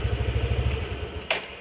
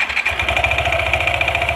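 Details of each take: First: Yamaha NMAX scooter that had a harsh noise near full throttle and on throttle release: even, low putter with a steady beat and no harsh rattle once the noise vanished after pressing the tensioner; engine sounds clean and healthy. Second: Yamaha NMAX scooter idling with a light metallic rattle (kletek) that swells on a brief blip; CVT opened, slider found loose but not the cause; noise stopped when tensioner pressed harder, so faulty cam chain tensioner.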